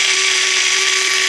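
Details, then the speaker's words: Washing machine drain pump: steady high-pitched whine with harsh rushing hiss, much louder than normal; technician attributes it to the pump being too powerful, propeller problem noted, not a serious fault. "A cliente me ligou reclamando que a máquina dela estava fazendo muito barulho, tá?"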